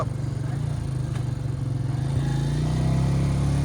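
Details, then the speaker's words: 2002 Honda Rancher 350 ATV after rebuild, starting and riding off; single-cylinder thumps at slightly high idle and pulls away smoothly, quiet, no knocks or rattles: normal running. "I want to show you guys what it sounds like. It's nice and quiet now. Very nice and quiet. This motor's mint. Starts right up."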